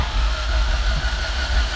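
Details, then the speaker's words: Built all-motor LSV EF hatch after Monotech harness install, distributor unplugged, starter cranking until the oil pressure light goes out: low, even churning with no firing, rhythm getting smoother; normal oil-priming crank. "we're going to crank it get oil pressure and then we're going to put everything back up and give it a go"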